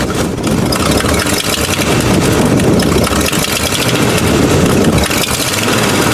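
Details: Buick V8, after new cap, rotor, wires and ignition coil: loud idle with uneven, stumbling beat and irregular exhaust dropouts; persistent misfire, owner suspects points/condenser, dirt or oil under distributor, or fuel delivery.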